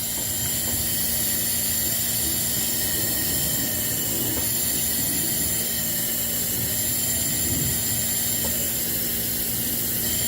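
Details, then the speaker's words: 2016 Land Rover Discovery Sport 2.0L turbo petrol during cylinder leak-down test in VVT actuator failure and timing repair: steady hiss of air escaping through the intake port, heavy carbon on valves, bent valves or carbon suspected. "see a little bit there you can hear the air hissing out"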